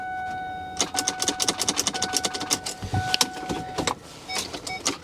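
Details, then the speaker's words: Auction vehicle being walked around; fast dry clicking, about seven a second for three seconds, and the engine never turns over. A sticky starter was ruled out and a locked-up motor is possible but doubted, so the cause is unconfirmed. "Sometimes you get a starter that's just a little sticky. You can just click it, click it, click it, click it, and get it to turn over. In this case, that is not the case."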